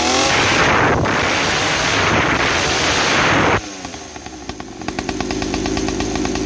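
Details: 50cc two-stroke mini trail bike after silencer modified with more holes and glass wool packing, exhaust about 50% quieter: crisp buzz dropping to a softer note, engine and chain clatter now audible; runs clean, quiet exhaust.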